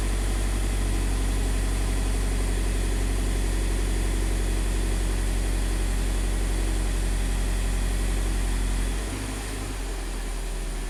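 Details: 2015 Scion FR-S (Subaru BRZ), 2.0 L direct-injected boxer, after swapping in a new bank 1 intake cam solenoid, warming up; smooth, even idle at a steady low beat with no misses, stumbles or knocks; engine running healthy.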